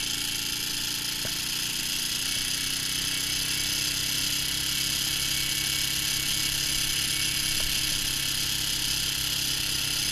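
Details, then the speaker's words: Fully restored 1965 Honda CB77 Super Hawk on its first official long ride after several test runs: an even engine hum holds under the wind rush while cruising, with no knocking, popping or missing; normal running. "so i'll just get out of the way and we'll enjoy the sounds of riding"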